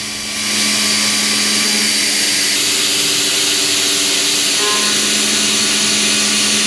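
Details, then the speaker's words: Machining with an end mill in a heat shrink fit holder, about 2 in of length from the holder; a steady, even cutting hiss with a constant spindle tone, no squealing or chatter; a clean cut despite the long reach. "2 in of length away from a holder those chips are flying and if you listen it sounds absolutely [Music] perfect if it was just a cutter held out at this length we'd be dealing with a lot of squealing and chatter"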